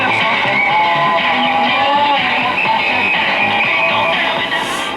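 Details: 1940 Emerson DB 301 five-tube AA5 radio under repair, playing: clear, steady music with no crackle, fading or hum; the earlier problem was traced to the set being very picky about its antenna hookup.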